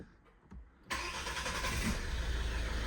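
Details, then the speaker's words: 2010 Ford Kuga that previously would not start, restarted after being reassembled and run about 5 minutes: quiet, brief crank, catches within a second and settles into steady even idle; starts cleanly, straight up. "look at that perfect straight up right okay that's great"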